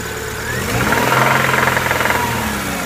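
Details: 1999 Subaru Impreza EJ22: sharp, regular knocks over the engine growing louder and quicker as rpm climbs; owner unsure if rod knock or something else.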